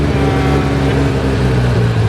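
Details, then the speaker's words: Modified Porsche 964 Turbo (aiming for 600hp, unmapped) on first drive after clutch work: steady drone holds at a raised idle and won't drop; idling too high, owner suspects their own adjustments caused it. "it's idling a bit high wow it doesn't come down very probably messed that up now"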